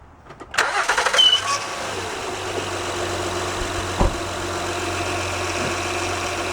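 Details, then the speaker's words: 2006–2010 Honda Odyssey started and idling smoothly after replacing power steering pump O-rings, with some air in the system; previous loud whine gone, pump now quiet. "It's very quiet now. Don't hear that whining, loud whining noise."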